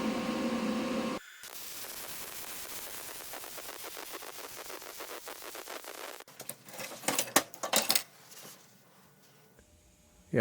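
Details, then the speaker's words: Vulcan MigMax 215 240V MIG welder from Harbor Freight, 1/8-inch steel at setting J 5.5 with shielding gas turned back on: steady even fine crackle, no popping or sputtering, running cleaner than the old Lincoln; normal MIG weld. "you can see that looks much much nicer i could tell just from the sound it was going way cleaner way nicer than i'd seen on the lincoln"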